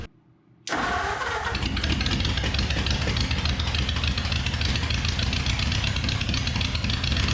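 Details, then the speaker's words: 1956 Chevrolet tow truck, abandoned for years, cranking after its connections were cleaned and its cylinders lubricated: brisk, even starter churn at a quick steady pace with no drag; the engine spins over freely, now cranking far better than before. "I guarantee you the other steps we did have it cranking better than did you hear it over here it is absolutely ripping now"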